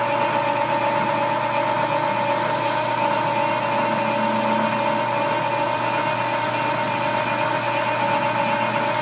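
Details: Worn dual drive belts running through the gearbox of the machine tool, rubbing and getting noisy when the cut takes a good bite; steady hum with rough rubbing drone, not tool chatter; worn belts slipping under heavy cutting load.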